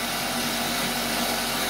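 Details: Vevor 8x14 mini lathe converted from a 3/4 hp brushed motor to a 1 hp servo motor with a belt drive: a loud, constant high whine and hiss, likened to a banshee, while the newly installed and adjusted lead screw drive runs. A noisy gear train is suspected but the source is not confirmed.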